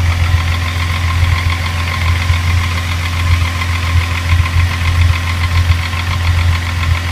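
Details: Rebuilt Mk3 VR6 petrol engine idling with a steady, regular knocking over the low engine hum; cause unknown, timing chain or tensioner suggested by others.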